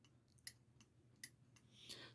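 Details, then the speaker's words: Wagner thermal turn signal flasher, older USA-made unit reportedly from an old Mustang, being compared with a Chinese flasher on the bench: crisp single clicks about three-quarters of a second apart as the heated contact makes and releases; normal flasher clicking. "So it goes across, makes makes contact, and then cools down and releases that contact. But you can at least hear it has that sound of your turn signal."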